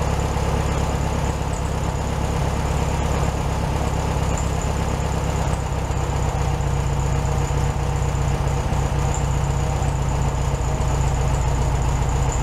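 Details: 1967 VW Beetle 1500cc, warm, carburetor reinstalled on a new base gasket: a smooth, even low idle with constant pitch and no misses or ticks, slightly fast. Normal idle, probably a little high.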